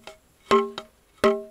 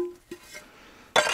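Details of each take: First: Salvaged Welsh slate tap test: two sharp taps ring clearly, each with quick rattling buzz; good slate but loose flaky delaminating layers buzz, ringing improves as they come off. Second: Old roofing slate, stored outdoors about 10 years, tapped before fitting: sharp tap gives a short, clear ringing note dying away cleanly; a hard, sound slate, unlike chalky ones.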